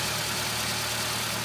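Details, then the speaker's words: Ford Fiesta after replacing the drive-belt idler pulleys to cure a squeal: steady, even idle with smooth hiss and no chirp or squeal; the belt drive is now quiet. "So, die Umlenkrollen sind gewechselt, Quietschen ist weg."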